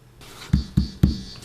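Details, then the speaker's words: Pickup hum from reversed coil wiring on a mid-1970s Fender Jazz Bass single-coil pickup: touching the exposed pole pieces gives four short low buzzes. Swapping the leads (white coil start to earth, black to hot) removes the capacitive coupling to the inner windings, leaving no noise. "so now i'll swap these wires over and i've got the white wire connected to earth and i'll use the black wire now as my hot wire and now when i touch the magnets there's no noise at all"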